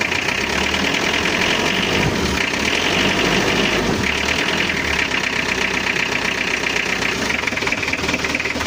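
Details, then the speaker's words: Mitsubishi L300 diesel, post-2010, before overhaul, burns oil, noisier when hot: loud idle with heavy uneven clatter and vibration, indicating worn cylinder bores. Piston knock. "Emang geter tapi suaranya itu ada indikasi e rumah piston"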